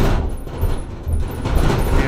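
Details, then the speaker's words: Camper van on a short drive over road bumps with the bulkhead removed: irregular hollow bangs and rattles rising and falling with bumps over low road rumble; bonding between the outer and inner skins has come apart, to be re-stuck with Sikaflex. "all that is where the bonding between those two skins has come apart and that's what's causing most of those RS and bangs I mean you couldn't live with that that's just hor"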